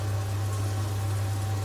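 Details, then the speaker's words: Potterton Promax Combi HE Plus 28 boiler after its expansion vessel was replaced: it fires up with a smooth, steady low hum and soft rushing, no clicks or bangs. The gas supply error is gone and pressure holds just over 1 bar. "oh my god she's fired up [Music] it's good yeah that's fine I'm not worried about that because it's all clean itself lead but we don't have the error anymore"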